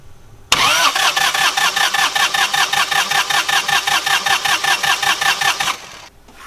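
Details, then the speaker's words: Northern Lights 12kW diesel generator after cylinder head replacement, while bleeding the fuel system: even starter cranking at about five compression beats a second, never catching, because the fuel solenoid was off and only the starter was engaged. "okay i've just realized that what i was trying to do there will not work because um the fuel solenoid's off this is only engaging the starter"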